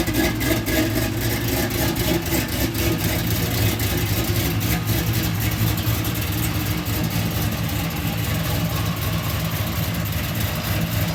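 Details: Oldsmobile Cutlass with LS-swapped fuel-injected V8 and cold air intake, after fixing electrical no-start: deep steady rumble with even lope, no misses or knocks; normal idle and revving.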